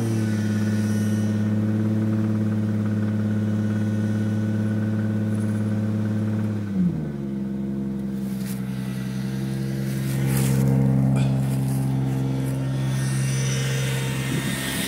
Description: This is the second time I've spun a rod bearing with the same builder. Just a video so people can see what rod knock sounds like on a 2J.